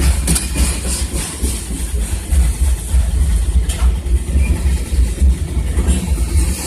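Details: 2002 Toyota Corolla LE that cranks but won't start: low, uneven churning of the starter turning the engine over at about three or four pulses a second without ever firing.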